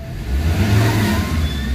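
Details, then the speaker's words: Ford Ranger 3.2 diesel after an XADO engine treatment, with the aircon on: it revs up strongly and drops back cleanly with a deep, even note. The quick response is read as strong compression. Revving is normal. "So responsive agad siya. So ibig sabihin malakas 'yung compression sa loob."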